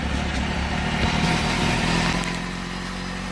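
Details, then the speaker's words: Motorcycle after charging a dead battery, in neutral: engine catches on the starter and sputters slightly rough while very cold before settling; starting system working. "she was really cold so why was sputtering a bit that's a successful job"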